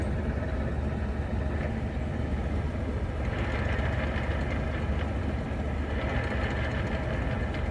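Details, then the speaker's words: Jeep TJ with NV3550 transmission, engine running in gear with the clutch barely let out: a constant drone with a marble-like rattle. The noise stops with the clutch in; the owner suspects the input shaft bearing. "Oh, you could really hear it. Eh, [ __ ] can of marbles."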